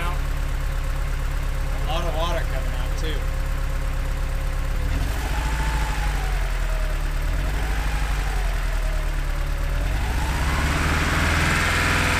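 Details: Truck "Samantha" being treated with Sea Foam: deep, uneven idle that stumbles and misses its rhythm with a low lumpy beat; vacuum leaks, spark, or a clogged injector are suspected.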